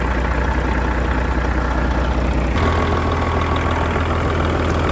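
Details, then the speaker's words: Old diesel truck started after sitting 11 years, with oil pressure, air pressure and voltage up: deep, even diesel idle with steady low rumble and clean regular firing, no knocks or misses; sounds healthy. "Absolutely insane. This old motor sounds good. This absolutely makes my day."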